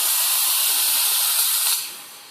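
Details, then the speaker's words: Ponte Vecchio Lusso 1 espresso machine at full temperature, steam wand open with boiler element keeping pressure stable. Strong, steady high hiss of dry steam holds full force, then drops away as the valve closes; healthy steam wand. "Now this thing produces a great amount of steam, and"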